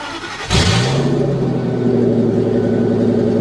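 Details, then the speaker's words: 1997 Pace Arrow Ford-chassis motorhome at salvage auction, listed as non-running: cranks, catches, then very loud raw booming idle; exhaust open where the catalytic converter is missing, exhaust leak. "Wow, that is loud. Good God."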